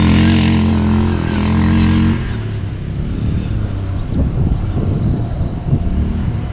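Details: 1998 Yamaha Grizzly 600 4x4 ATV, previously limited to about 10-15 mph, test ride after repair; single-cylinder thumps steadily under throttle then drops to a clean even idle, pulling freely, easily going 55, completely fixed.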